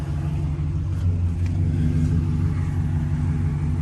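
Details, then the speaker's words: 2007-13 GM 5.3 LS V8 Sierra/Silverado with DOD/AFM, after lifter replacement and with an aftermarket intake: deep, even rumble with no valvetrain ticking or tapping; idle slightly funky, engine otherwise sounds clean and healthy. "but yeah it runs good too like i said just the idle's a little funky because of that math situation but thing sounds great there's no noise"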